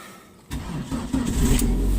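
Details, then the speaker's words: 2002 Dodge Neon ES, 110,000 miles, cold start on a freezing day: brief crank, then the engine catches at once and settles into a smooth, even low rumble; motor sounds great. Owner suspects a transmission torque-converter fault, unrelated to the engine. "Oh, but anyway, we're going to start it up and show you it's cold. And the motor sounds great."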